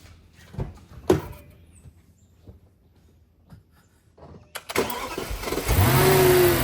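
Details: Audi D3 S8 V10 after valve cover gasket, coil pack and plug replacement for a misfire and oil leak, microphone in the cabin: a few quiet knocks, then a smooth, even, rising roar under acceleration with no stumble.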